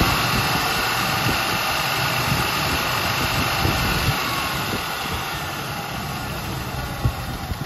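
A rough, busy V8 idle with a faint irregular tapping about four times a second; source of the tap not pinned down.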